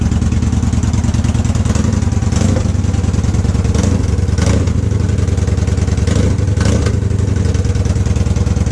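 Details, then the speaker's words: 2014 Victory Cross Country Tour V-twin, salvage bike at first start after sitting: loud, steady open-pipe beat at fast idle, even firing, no knocks or misses; runs healthy, small oil leak at oil cooler fittings. "there you go sounds okay the selvedge not Salvage bike runs and it sounds really good I mean it staccato mufflers"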